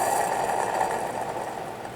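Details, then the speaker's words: Ford Escape junkyard A/C compressor, engine off, pulley spun by hand: gritty, rough whirring that fades as it slows, with sideways play felt in the pulley: worn bearing, compressor being replaced. "how noisy it really is."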